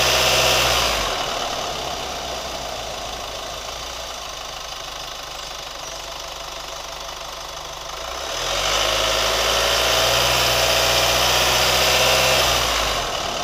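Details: New Chevy Colorado at idle with revs rising and falling: sharp regular ticking about four per second that continues through the rev changes; cause unknown.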